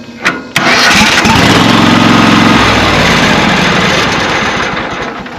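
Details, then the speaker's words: Riding mower with a twin-cylinder engine that clicks without cranking about half the time. Here it clicks, cranks briefly with a slight hesitation, then catches into an even idle. The hesitation is blamed on a nearly 4-year-old battery. Normal crank and start. "and of course that little hesitation we got there is because I got a battery that's almost 4 years old that I'm I'm under replace in the near future but with a good battery this thing it just you know take off and go"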